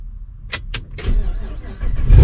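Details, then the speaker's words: 5th-gen Camaro V8 with long-tube headers, hot restart after a 40-minute drive following a heat-soaked starter fix with a new starter setup: two quick clicks, short crank, prompt catch and steady idle; clean healthy hot start. "start it up just like it did before starts up easy i think we got a winner"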